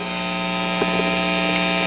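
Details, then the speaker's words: Fender Bassbreaker 15 tube combo amp just taken off standby, on the medium structure setting with no playing: loud steady low hum with a buzzy edge, mains hum; quieter on the low structure. "And man, I'm sorry, but it is noisy, damn it. Listen to this."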